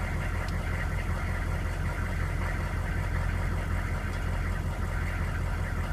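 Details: GM K2500 6.5L diesel running first time in a year; rough idle with a dull knock about twice a second under the clatter, source unclear: knocking at idle.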